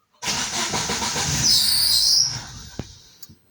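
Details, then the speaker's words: Daewoo Lanos, ran fine the day before, after a night in the garage, on petrol with over half a tank: starter spins, engine catches briefly with rising whine then dies within two seconds; starts and stalls immediately. "Заводиться і глохне."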